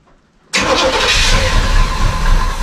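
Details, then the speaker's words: 1973 GMC 2500 Camper Special with 454 V8, parked 13 years with old gasoline, rear tank clogged, side tank good: starter spins the engine steadily but it never catches; crank no start, stuck carburetor needle or float suspected. "Okay, it sounds like we might have a stuck needle or float."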